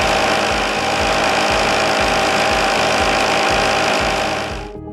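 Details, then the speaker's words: Blackmer LGL3 sliding vane pump running without a cavitation suppression liner: harsh, rattling noise with a steady pulsing beat like gravel churning through the pump; pump cavitation. "Note, these are cavitation gas bubbles illuminated by a strobe light. Here's what cavitation sounds like without the suppression liner."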